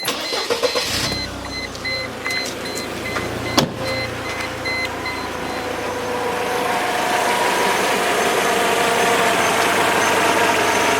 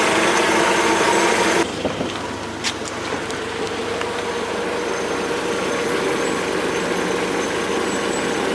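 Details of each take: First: Mercedes W202 C200 after tensioner and V-belt replacement, just started: starter whirrs, engine catches and settles into a smooth, even idle with no knocks or ticks; abnormal noise only appears when revved. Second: Mercedes W202 C200 after tensioner and V-belt replacement: raising the revs brings a loud hissing rush that cuts off sharply as the engine drops back to a smooth idle; abnormal noise, source unclear.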